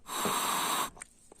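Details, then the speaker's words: Candy washing machine water-level pressure switch tested by blowing into it: steady breath of air with no click after it; the diaphragm inside has burst. "fait y'a aucun bruit dedans parce qu'en fin de compte la membrane à péter à l'intérieur"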